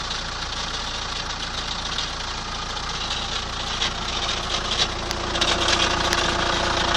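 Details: 2003 Chrysler Voyager 2.5 CRD diesel near idle: steady light knock about three per second riding over the diesel clatter; engine knocking noise, cause not pinned down.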